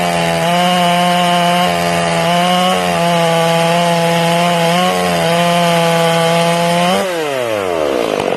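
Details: Ported Stihl MS461, first cuts during break-in, carb set slightly rich: the high scream dips in steps as it bites the wood and burbles unevenly on entry and exit. This is rich four-stroking, made more pronounced by an RPM-limited coil.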